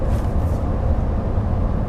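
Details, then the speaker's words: 2019 Toyota RAV4 on 19-inch wheels, in the cabin at steady highway cruise: constant low roar and hum with no engine note above it; the tire noise is the one complaint about its refinement. "I don't have any negative things to say about that, apart from this noise. You know, Mazda had this problem a few years ago with all of their SUVs. The cars were very, very, very, very unrefined. They fixed it now. They've put in a ton more sound deadening. You can hear the noise from the tires."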